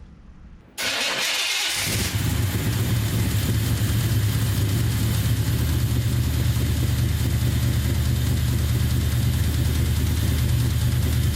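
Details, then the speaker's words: 1990 Chevy Camaro small block with Holley Sniper EFI, at idle: loud rumble with a faint fairly regular tick; rockers, pushrods, exhaust, belts, pulleys checked fine, owner suspects a bad rod bearing; source unconfirmed. "okay but anyways that that's how it's been running right now you can hear that slight tick"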